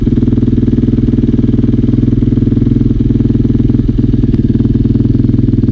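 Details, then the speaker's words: KTM 450 single-cylinder dirt bike idling with a pulsing, slightly uneven beat of about four per second. Still runs rough after bike work; cause not pinned down. "so yeah still sounds a bit rough though but anyway as long as we get to ride and see how it to perform today"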